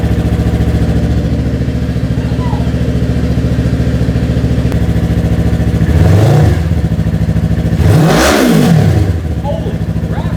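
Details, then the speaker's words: Yamaha R3 beginner motorcycle being custom built, first start after fresh coolant, new oil and primed fuel pump: even, steady idle with two clean revs settling smoothly back; runs strong, "sounds like a 1,200" – normal idle and revving. "this sounds like a freakin 1,200 monsters right"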